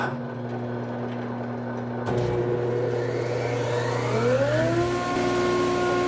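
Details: Large used planer, dust extraction not yet connected, planing dry English walnut: steady motor hum, then the board takes the cutter with a whine that climbs and settles, no chatter or bogging; cutting cleanly.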